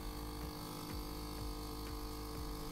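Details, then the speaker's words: Philips/Saeco EP espresso machine giving no coffee: the water pump has grown quieter and quieter, buzzing weakly with a pulse about twice a second; nothing flows. "simply very very quiet the pump doesn't work anymore now it just tries to keep pumping but nothing comes through"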